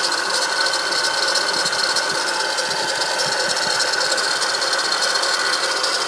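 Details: Acura TL at idle: fast, uneven metallic rattle over a hissy engine hum, recent onset; owner suspects a bad alternator, something loose on the accessory side.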